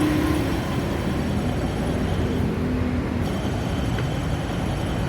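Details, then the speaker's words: 1992 Honda Civic idling with a steady coarse rumble at the front of the engine from a broken AC compressor clutch bearing; the whole compressor clutch set is replaced. "เนี่ยเสียงดังหน้าเครื่องกับHondaCV92อชุดคัคอมครับลูกปืนแตกก็ต้องเปลี่ยนทั้งชุดตัวนี้ด้วยอ่ะฟัง"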